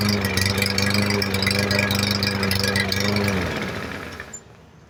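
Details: MTD 139cc OHV lawn mower engine, a trash find that had water in it and was thrown away, running after reassembly: fast, even beat for a few seconds, then winds down cleanly; normal running.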